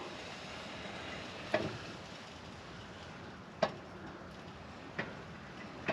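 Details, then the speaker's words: 1st Gen Toyota 4Runner front axle turned slowly, hub reading locked: few sharp uneven clicks seconds apart, catching then turning equal; owner suspects a locker in the front. Clicking when turned slowly. "Now, something's clanking. It feels like there might be a locker in there. Oh, that one's now turning the same. See? So I wonder if this front's got a locker in it. If you go slow enough, it catches and it turns equal."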